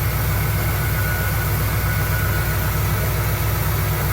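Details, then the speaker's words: 1975 Cadillac Fleetwood V8 idling after resealing the valve cover gaskets, oil pressure building and temperature rising normally; deep, steady, even burble with no ticking or knocking; normal idle, with slight smoke from old leaked oil burning off. "Yep. Sounds pretty good. Pressure building up. Temp's rising, it's normal. Everything looks good."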